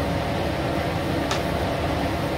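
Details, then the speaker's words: ILG B-30 blower with its restriction plate removed: a steady, even full roar of air with no tone or knock. Current rises from about 2.5–2.6 A to 3.4–3.5 A. Running unrestricted, it draws significantly more current. "now we're drawing 3.4 3.5 in that area a significant increase in current"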